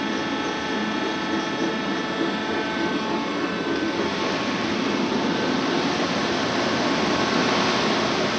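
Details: Worm screen centrifuge test run after repair for bad vibration: the worn main drive bearing diameter was machined and sleeved, and the main drive and gearbox bearings replaced. Steady, even whirring with no knocking, rumble or surging; normal running.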